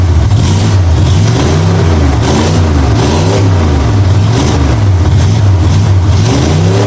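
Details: 1965 Mustang V8 with new headers after setting ignition timing to 12 degrees before, checked at number one cylinder: deep rumble through smooth throttle blips, rising and falling cleanly with no misfire or knock.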